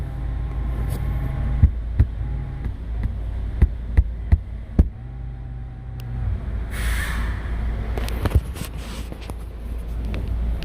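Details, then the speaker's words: 2016–2020 Ford Mustang (2019) climate-controlled driver seat: low buzzing groan with faint wavering whine and taps when heated seat activated; seat motors measured ~2.5 megohms versus 250k–400k ohm spec, grounds for motor replacement despite connector/harness update. "customer complains about noise coming from the seat when heated seats are activated"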